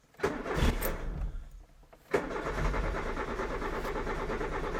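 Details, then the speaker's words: Peugeot 205 after fitting new spark plugs: one short crank dies, second crank catches quickly and settles into an even steady idle; starting better than the first attempts, not yet warmed up. "in my opinion it seems to be starting better already compared to the first times"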